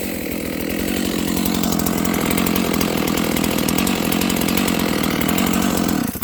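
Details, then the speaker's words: Dolmar 7300 chainsaw, high jet opened fully to the limiters: steady thin screaming high rev between cuts; sounds slightly lean at high revs. "And it sounds a little lean to me, so I'm gonna make a few quick cuts, but that'll be that."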